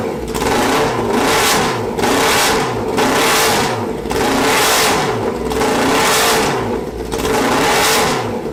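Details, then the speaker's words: Hayabusa-swapped 1970s electric CitiCar after new spark plugs, revving: bogs in roughly once-a-second surges, rough under load; owner suspected dirty injectors, but cause was misfire on two cylinders from swapped ignition coils. "I did change out the spark plugs there's there's going to be a bogging issue but I think that's because the injectors might be kind of dirty"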